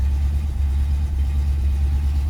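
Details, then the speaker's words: 1972 Rover 3500 P6, 3.5 litre aluminium V8 after sitting 6–10 years, just started with choke turned down slightly: deep even burble at steady fast idle, no knocks or misses, good oil pressure, charging; running healthily. "Just turned down the choke a tiny bit. But we are definitely running."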